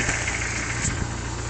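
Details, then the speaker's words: 1995 Jeep Wrangler YJ 2.5 L, 5-speed manual, 128,000 miles, cold start: steady idle with light rapping knock at engine speed that persists until about 210 degrees operating temperature; owner suspects piston slap, not confirmed. "I think it has piston slap because when I first started up when it's cold I get a knocking noise"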